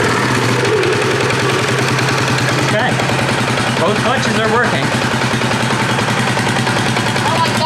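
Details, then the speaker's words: 2018 Polaris Sportsman ACE 570 after mud flooding, warm, during fan cycles: rapid steady popping about three pulses a second; running smoothly, clutch feared damaged but seems operational. "Everything seems fine so far. I was really worried about the clutch, but it seems operational."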